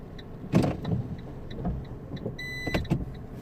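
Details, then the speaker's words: 2008 Fiat 500 with Dualogic semi-automatic gearbox that jumps out of gear into neutral when stopping, just after a clutch replacement: repeated short motor whirrs and clicks over a quiet idle as the gear actuator keeps trying to engage the gear. "so I could definitely fill the gearbox I can feel I can hear the the motors it looks like well I can hear some gears try to engage so the box is definitely trying so okay"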